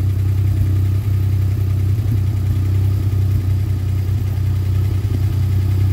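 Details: Alpine on new tyres and a freshly fitted competition exhaust silencer, started before a test drive. Deep, loud, steady exhaust drone with an even beat and no knocks or rattles; normal healthy running.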